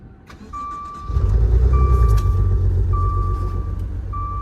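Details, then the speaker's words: Maserati at a salvage auction, sold as run-and-drive: it cranks, catches and settles into an uneven, lumpy idle with a chime beeping over it. It runs rough, cause unknown. "Yeah, it's running real raggedy."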